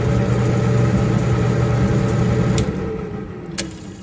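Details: Samsung gas dryer that shut off about 45 seconds after starting; steady low motor hum, then a click and a second click as it winds down. Diagnosis was a bad drive motor, confirmed; replacing the motor fixed it.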